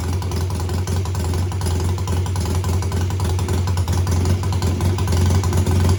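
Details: BSA twin-cylinder home-built chopper revved in place, each throttle slide lifted separately and then together, to find which cylinder cuts out. A deep, steady beat builds smoothly with no dropouts: both cylinders pull evenly, and the suspected misfire doesn't show.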